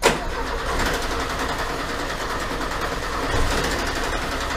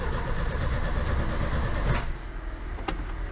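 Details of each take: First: 1980 VW Gol left unused in a garage for 10 years: rough uneven chugging while cranking, then catches and keeps running with a lumpy idle that picks up; engine cranks and starts. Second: 1980 VW Gol left in a garage for 10 years, first start attempt: the starter cranks at about four pulses a second for two seconds with no firing. It won't start because there is no petrol.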